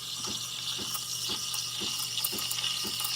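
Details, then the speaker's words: Bravo espresso machine steam wand lifted slightly out of the milk to introduce air: bright steady hiss with soft sputtering chirps about twice a second; wand drawing air into the milk properly before the tip goes back in to heat. "you hear that sound that is the sound of air introducing to um being introduced to the milk"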